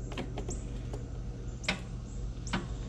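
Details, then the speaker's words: Riding lawnmower with a new, not-dead battery that intermittently fails to start: a few sharp single clicks at each key turn with no cranking after them; starter solenoid contacts failing. "Battery's not dead. New battery. See, sometimes it'll start and sometimes it just clicks."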